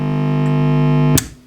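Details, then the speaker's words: Marshall Origin 50 guitar amp with the phase splitter valve pulled to isolate the front end, leaving only the power section. The power valves are not red plating. A steady, loud mains hum with overtones builds and holds, so the fault is in the power amp section. "the next thing i've done is to pull the phase splitter valve here and that will just isolate the entire front end section just leaving the power section so let's see if that still hums i strongly suspect it will and let's turn it on yeah i can hear that building up"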